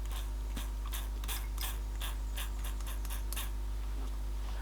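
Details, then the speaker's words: 1970s-era Copal RD-100 flip clock radio, 240 V motor before lubrication, owner suspects a washer left off one end: faint hum with sharp uneven clicks and ratcheting from gear train, dry or loose; cause not confirmed. "I think it's missing a washer on that end whether it should have had one or not I don't know but it assume if it's at one end it's at the other"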